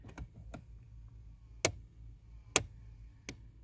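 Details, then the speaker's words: Hyundai Tucson 2.4 four-cylinder, HVAC airflow stuck on defrost: the mode door actuator behind the dash clicks faintly about once a second, binding and unable to finish its travel toward floor mode. "so this little guy right there is the mode or and it's just clicking it's on defrost right now and that to open up the door"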